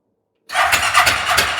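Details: Fire-damaged CF Moto Z Force 800 after an ECM reconnect: the starter cranks with a steady rhythmic churn for over a second but never catches; spark is present, and the fuel lines had been cut.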